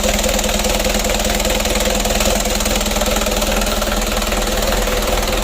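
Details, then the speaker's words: Rebuilt 4D34 120 PS diesel restarted after first run, warming up; injection pump judged still good, loud note blamed on exhaust tip; steady even idle clatter with no misses or knocks, running healthy, break-in to follow. "Kita panasi dulu. Itu suaranya besar karena ujung knalpotnya itu ya. Alhamdulillah untuk mesin 120 PS nya sudah hidup."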